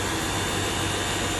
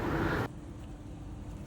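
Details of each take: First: Small pressure washer after repairing a fault where it sprayed and then cut out. Now the motor whirs steadily with an even spray hiss, stronger than before, and the hose no longer jerks; a two-minute run shows no hiccup or surging. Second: Small pressure washer sprays briefly, then the motor hum abruptly cuts out to near silence before restarting. The technician recognizes the symptom and removes the motor to inspect the pressure switch.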